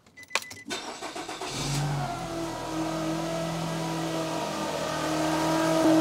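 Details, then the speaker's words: 2010 Nissan X-Trail T31 2.5 L, battery not being charged: engine cranks and catches, then a steady whine over the idle edges up in pitch; alternator not charging at all, internals presumably failed, alternator whine. "And it's not surprising with that noise. No doubt internals have failed as well."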